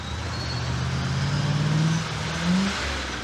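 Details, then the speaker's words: 1977 Cadillac Eldorado engine at wide-open throttle, with blow-by smoke pouring from the intake and blue smoke from the exhaust. It revs hard with a heavy, rough note under the exhaust roar; the worn engine is knocking badly. "Oh, Oh, it's knocking, dude. It's knocking bad."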